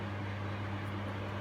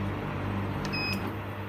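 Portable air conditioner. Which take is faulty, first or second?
first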